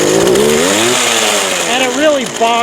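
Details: Craftsman 19" 25cc gas hedge trimmer, choked, fuel lines bad and brittle, gas of unknown age: small two-stroke revs climb then sag and waver unevenly, bogging down; previously ran only briefly and would not restart. Cause not confirmed.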